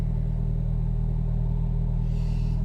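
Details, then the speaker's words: Hyundai Getz after IACV and TPS replacement (fault was RPM surging on restart): idle around 1,200 rpm after restart holds steady under headlight and aircon load, an even low rumble without hunting or dips; normal idle. "So normally pagkaka-start niya nasa 1.2. Ayan. Naka-headlight tayo, aircon. Ayan."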